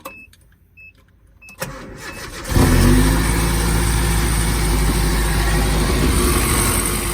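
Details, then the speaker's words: Japanese mini truck on its first start after a rebuild with a new timing chain cover: warning chimes, a short crank, then a busy idle with a faint quick tick. Owner suspects timing chain rattle; the tick is less than before. "it still sounds kind of vibrant but that sometimes that sounds more like timing scene rattle than it did before i think our tick last time was way worse"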